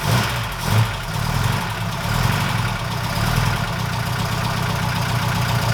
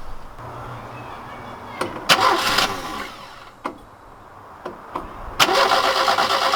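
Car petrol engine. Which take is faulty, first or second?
first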